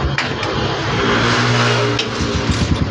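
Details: Kawasaki Barako single-cylinder motorcycle after tune-up and a worn-out air cleaner replaced, previously would not start after five kicks: a couple of kicks without throttle, then it fires and holds a steady popping idle; starts and runs normally.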